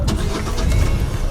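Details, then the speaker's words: 1974 15-ft VIP tri-hull boat with a Mercruiser 3.0, fitted with a new Pertronix coil and distributor module. Normal hot restart: a brief crank, instant catch and a steady idle in gear; the owner suspects it intermittently runs out of fuel. "fires right up, idles in gear."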